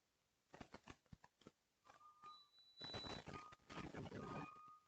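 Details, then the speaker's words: Creality Ender 5 Plus 3D printer: a few soft taps, then thin high squeaks as the bed moves up the Z-axis, only in one direction. Suspected bad bearing that oil won't fix; binding not seen. "That is the sound of a bad bearing. Yeah. That's the sound of a bad bearing, ladies and gentlemen. There's no amount of oil that's going to fix that."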